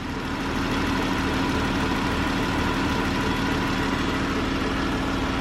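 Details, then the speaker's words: 2013 Chrysler 300, 3.6 L V6, after lifter-type ticking repair: steady, even idle with smooth low hum; ticking quieted tremendously, a little ticking remains, judged normal. Normal idle. "yeah a little chicken but it's not as though it were so I guess the thing would be to do if you really want it to just quiet this motor all the way down I think that's normal"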